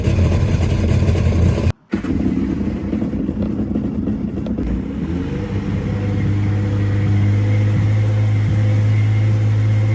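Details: 1996 Tigershark jet ski, revived from non-running, cranked cold and left idling while cooling water lines are checked. After a short crank it settles into a steady, low buzzing idle with no misses or knocks: a normal idle.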